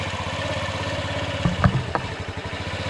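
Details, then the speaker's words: 2003 Honda Ruckus scooter after carburetor work. The single putters at a quick, fairly even beat with a couple of handling clunks midway, now idling cleanly. Normal idle. "well that definitely made a difference"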